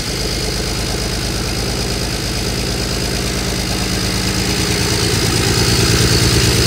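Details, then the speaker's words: BMW E92 335i with N54 engine after a complete engine swap: rough, uneven idle stumbling about three times a second with a lumpy exhaust note and a loud exhaust pop; misfire, owner suspects a failed or damaged injector. "as you guys saw the car actually had like a crazy pop and like kind of like a misfire"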